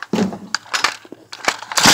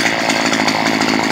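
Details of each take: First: Stihl HS 45 hedge trimmer, previously a no-start caused by a wire touching metal: a few sharp pull-start rattles, then the two-stroke fires instantly and holds a steady high buzz before shutting off; runs normally. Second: Stihl HS 45 hedge trimmer two-stroke running with its stop switch removed, after a no-start fault from a wire touching metal: a high buzz with a soft, burbly edge; the mixture is set a bit rich and needs leaning slightly.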